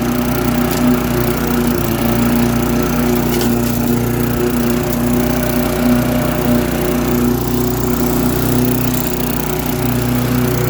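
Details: Lawn-Boy mower with a Tecumseh 4.5 hp four-stroke engine, revived after sitting 20+ years, cutting grass: steady, even drone holds speed with no misses, surging or knocks. Healthy engine under load.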